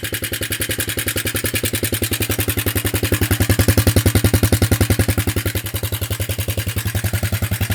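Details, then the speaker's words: Circa 1983–84 Suzuki Quadrunner LT125 ATV single-cylinder, first start after sitting outdoors over a year, only the float bowl filled: even, steady thumping idle about 3.5 beats a second; runs decently, though owner notes some weird noise. "yeah it actually runs pretty decent considering yes I know it's making some sort of a weird noise I don't"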